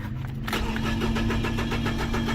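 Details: 2007 Nissan Frontier intermittent crank-no-start, day 2, cranked after reconnecting two cut wires: steady starter at about five even pulses a second, engine never fires; fuel system relay and fuse checks next.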